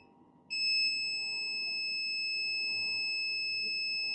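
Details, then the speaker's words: Laptop motherboard, multimeter on the capacitors by the startup controller: steady high continuity tone held unbroken, reading zero ohms; the 3.3 V rail is shorted to ground after the second MOSFET. "zero again so clearly we do have a shot our 3.3 is shorted and that is the reason why we don't have we have short to ground after the second mosfet"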